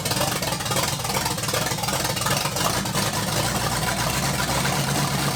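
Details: 1980 Dodge short-bed truck with a big-block V8, first run in 14 years after being wired up: steady, even low rumble with no knocks or misses; running normally.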